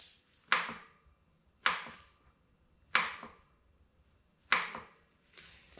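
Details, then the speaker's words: 2019 Specialized Fuse with RockShox Recon RL air fork, about a month of riding. Four sharp separate clicks, one each time the fork is pushed down: air cap clicking on compression. "and here's the noise it's literally just as soon as i push down on the fork it happens"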